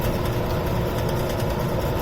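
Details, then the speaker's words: Rebuilt warehouse exhaust fan, new bearings, pulley adjusted to draw 4.2 A (4.6 A max at 115 V): even low hum with faint rhythmic pulse, slight fan blade wobble, no bearing noise — normal running, much quieter. "so a bit of a wiggle and a shake but at least it's quiet quieter"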